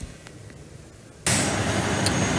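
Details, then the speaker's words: Grain hauler trailer brake controller during remote RF PLC4TRUCKS message test, driver in cab with foot on brake; quiet then sudden loud rush of air as the valve vents: air brake venting. "And because he's in the cab with his foot on the brake, that's why we're hearing the air chuffing out."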